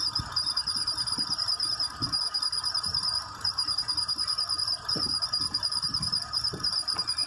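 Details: Mitsubishi Nativa engine running, two noises: uneven knocking from the accessory belt auto-tensioner, and a high-pitched chirping squeal from a bent water pump appearing once normal operating temperature is reached; fixed by replacing tensioner and water pump.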